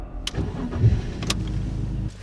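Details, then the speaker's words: BMW E46 coupe, next-day start after fuel pump and shock replacement for earlier no-start: short crank, catches almost at once and settles into even idle; clean, trouble-free start. "still starts. Not a problem. This is good."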